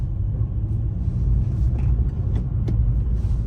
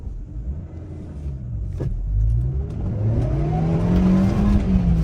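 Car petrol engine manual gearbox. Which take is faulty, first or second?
second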